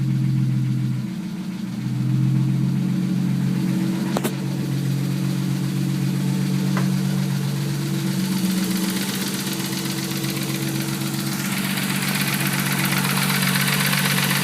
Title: Engine knock rb30det a31 cefiro